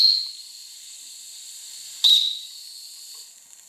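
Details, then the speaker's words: Wilesco T115 steam turbine shakedown: faint high whistle and steady hiss between short blasts; whistle valve doesn't seat and leaks steam. "The whistle is leaky. Um, not much I could really do about that, I think."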